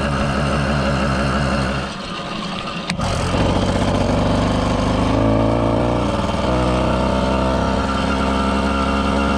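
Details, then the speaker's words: 110cc two-stroke motorized bicycle kit after performance fixes, loaded with a bag on the rack, running rich; buzz flares high without pulling the bike, clutch slipping under load. "yeah it's just slipping the clutch that's a lot of low end power"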